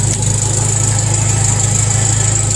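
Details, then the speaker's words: John Deere 140 tractor, first start after fitting a new solenoid (earlier solenoids failed), throttle fully up: strong crank, then steady, even low rumble with no knocks or misses; normal running after start. "that was a strong crank that throttle was all the way up yeah all right look at her turn like a kitten now"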